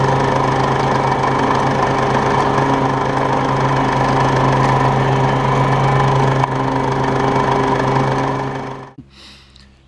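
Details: Toro Turfmaster 30-inch mower; steady engine drone with a fast light tick, about three or four per second, that occurs when the transmission is engaged; dealer mechanic suspects one of the pulleys, unconfirmed.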